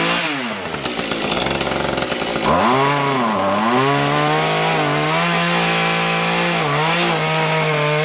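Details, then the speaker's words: Small two-stroke rototiller tilling soil after carburetor cleaning and low/high mixture adjustment, following winter storage with fuel in it: strong even buzz dipping and recovering as tines bite soil, then steady, running healthy. "looks like we did the trick it seems to work okay now much better than it was before which was not working"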